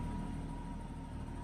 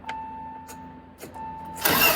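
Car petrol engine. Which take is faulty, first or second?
second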